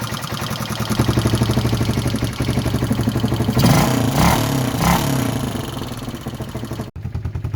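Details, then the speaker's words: Barn-find 1978 Honda XL250 single revving after new timing chain; light, quick ticking over the exhaust that follows engine speed, from tappets left loose, the intake tappet, no cam noise; tappets need setting up. "You can still hear the tappets. I've left them loose. Right, but if I do this, it's just that tappet's there, the intake. No cam noise, just the tappet."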